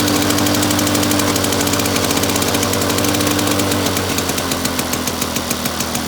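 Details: Victa two-stroke lawn mower rebuilt from two parts mowers, first test run after rebuild with new fuel tap (leaking slightly); fast, even buzz holding steady speed, no misses, surging or knocks; engine running healthy.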